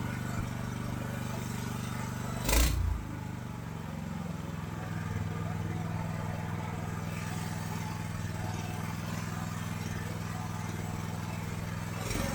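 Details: AGT LH12R mini excavator with RATO engine, before adjusting governor spring counterclockwise to lower idle: small engine catches with a sharp burst then settles into a steady fairly fast idle; factory idle set too high.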